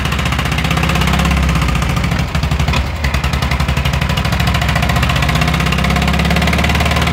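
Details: VW Fusca (Beetle) air-cooled engine, possibly one that sat unused a long time: loud idle with a fast, even ticking clatter on the exhaust beat, steady throughout; the owner asks what the noise is, cause unknown. Abnormal engine noise.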